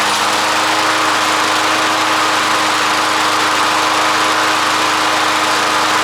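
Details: Old Toro push mower, cleaned up with sharpened blade, test start after being tipped over: small single-cylinder runs at steady high buzz, constant tone, no surging or sputter; runs healthy.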